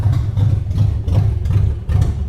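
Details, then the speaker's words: Toyota Land Cruiser 100 series 4.7-litre petrol V8, around 200,000 mileage, abandoned: uneven chugging idle surging and sagging, revs hunting as if stalling, all warning lights on, smoke everywhere; one cylinder suspected low compression. "so you can tell as you can hear it's all over the place the revs all all of the lights are on literally all of them there's just smoke coming from absolutely everywhere everywhere sounds like it's choking"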